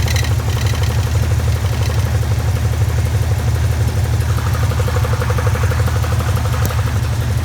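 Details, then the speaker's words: Idling car engine with a steady rapid knocking from below that sounds like rod knock but is the loose plastic flywheel cover rubbing the flywheel; fix is fitting the right screws to secure it. "you know it sounds like a rod knock but do the right things put the right screws in take care of that you might want to check that because i was hearing that noise earlier i said what the hell so it is a flywheel cover noise"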